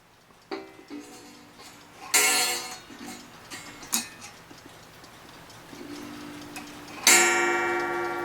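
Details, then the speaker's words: 8-day Black Forest cuckoo clock with auto night shutoff, after the gong wire was bent down to stop a terrible thud: a few clear, ringing gong strikes with clean bell-like decay and no buzz or rattle. Normal gong strike. "That sounds better. Let's make it do it on its own and see what it sounds like."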